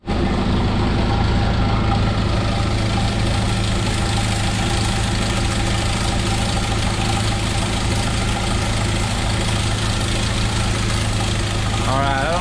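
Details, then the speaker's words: 1997 Jeep Wrangler TJ 2.5L at warm idle after a drive from town, before repair: uneven metallic clatter from the front of the engine; owner believes a loose, worn timing chain, noise worse when warm. "y'all can hear that but making some racket up here on the front end of the engine i believe most of the engine found this well is from the timing cane if not i've got other issues"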